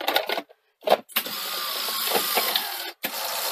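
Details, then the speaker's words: Sony SL-HF100UB Betamax: short bursts of mechanical clatter and clunks, then a steady whirring run as the tape threads; loading mechanism rough and clunky, noisy bearings suspected. "Oh yes, it's very clunky, isn't it? I seem to remember it was a bit clunky before."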